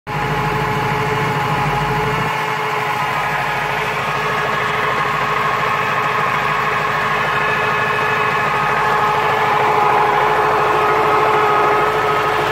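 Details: 1996 Corvette C4 LT4 with ZF gearbox, idling steadily with a fine whirring, rattly mechanical layer; gearbox noise at idle, source not pinned down.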